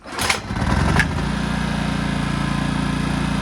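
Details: Honda EX650 flathead generator from the 1980s, engine dead cold, hard starting (normally ~10 pulls): a quick rattle, then it catches first pull and settles into a steady, even chug, indicating lean fuel starvation.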